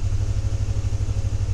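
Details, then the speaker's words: Chevy Tahoe V8 in drive, foot on brake with a little gas: lumpy stumbling rumble and shaking, check engine light, cylinder 4 misfire code; separated spark plug wire boot. "so yeah definitely have a misfire check engine light on"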